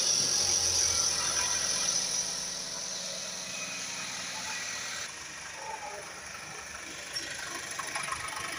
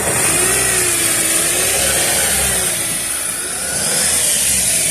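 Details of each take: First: Chevrolet Captiva 2.4 16-valve petrol, 2012, idling: fast, light metallic chatter from the timing chain at about four beats a second; timing chain noise, chains (water pump, balance shafts) then replaced and timed. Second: 2012 Chevrolet Captiva 2.4 16-valve petrol engine after timing chain, tensioner and balancer chain reassembly; revs up and settles smoothly with no rattle or knocking: chain noise eliminated.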